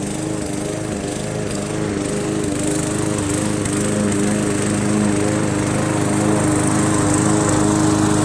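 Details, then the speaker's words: Briggs & Stratton 300E engine on an MTD Yard Machines 20" push mower, mowing grass: steady even drone under load, runs clean after carburetor clean, throttle spring adjustment and draining water from gas tank and carb bowl; normal running. "it was just a simple car clean and throttle adjustment with the throttle spring had a little water in the gas tank and we cleared that blew it out and it runs pretty good anyway"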